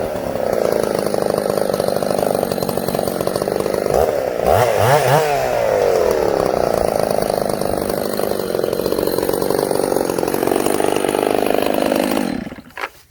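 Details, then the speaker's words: Ported Husqvarna 266SE chainsaw idling with chain brake on: high steady idle then bogs and labours briefly before recovering; weak coarse-thread 266 clutch dragging, loading the engine at idle. "Can you hear this saw loading up a little? This saw has a weak clutch on it, coarse thread 266 clutch."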